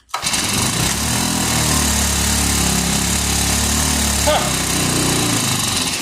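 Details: Vintage Hot Wheels R1NX gas go-kart that sat about 10 years, on a first start attempt with the wheel off the ground. The small single-cylinder engine catches at once and holds a steady, even buzzing run with no misses; it runs properly.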